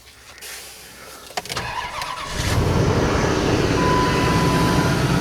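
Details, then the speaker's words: 2005 Dodge Dakota at idle: low, uneven, shaky, lumpy beat. The scanner suggests a faulty O2 sensor or vacuum leak, and the MAP sensor may read faulty. Fuel pressure is doubted; a smoke test is planned. Rough idle, cause unconfirmed. "you see it's shaking"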